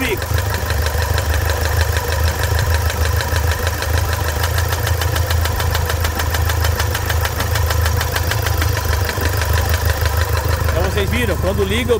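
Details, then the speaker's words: Toyota SW4 diesel with problems after a service: sharp rapid knock about three a second over a steady idle; stops with the injector disconnected and returns when reconnected, confirming a stuck injector. "para o barulho continua é desliga o bico para o barulho liga El ele faz o barulho então que temos bico aqui"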